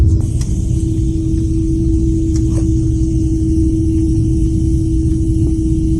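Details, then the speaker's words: Car at start-up: steady mid-pitched whistle from the rear, more noticeable outside the car, no pitch change over engine rumble; attributed to a fuel pump or fuel filter problem. "al arrancar el coche has notado que hay un silbido un chiflido en la parte trasera del coche y que es más notorio cuando estás afuera de él un silbido parecido a este"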